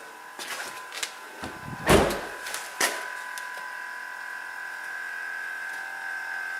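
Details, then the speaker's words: Porsche Cayenne after replacing blown 40 A air compressor relay fuse that caused Chassis System Failure: clunks then steady even electric hum as front rises and vehicle levels itself; air suspension compressor running normally. "that's the front of the vehicle going up. Right now, I believe the vehicle is just trying to figure out how to level itself."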